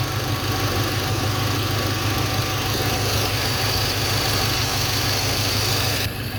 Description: When the ignition wire is shorted, the RPM comes down slightly, the AFR jumps up and the engine starts chugging a little bit. This indicates that cylinder is not dead.